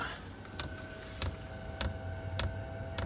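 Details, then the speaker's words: Chinese diesel heater with E-08 code and heavy smoke, glow plug suspected (its wire has broken twice): sharp single fuel-pump clicks about every 0.6 seconds over a faint hum at startup. "starting to click now so it was going through this part of the the cycle and get into about 20 degrees on the the burner and then just cutting out"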